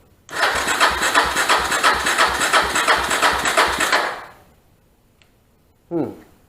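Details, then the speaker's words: Suzuki DR-Z250 from a salvage yard with a new starter and replaced gaskets, has compression: starter chugs about three pulses a second for four seconds and never catches; cranks but won't start, cause not yet found. "so just something had to dig deeper into it it's satellites got compression it would hit off but it won't just crank up"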